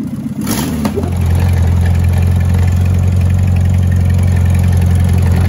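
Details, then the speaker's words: 1977 barn-find VW Bus Type 4 air-cooled engine, first start in over three decades: catches quickly and settles into a steady, even low hum with no ticking or rattles; healthy idle. "but before this is over with or when it's over with you should hear that type 4 turn like a kitten"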